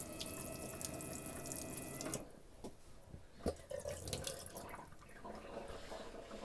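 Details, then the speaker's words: Camper van sink tap fed by a newly installed water pump, plumbing just finished: steady rush of water for about two seconds, then stray drips in a small room; normal running tap. "The sink's all finished. We've got full running water now in the camper van."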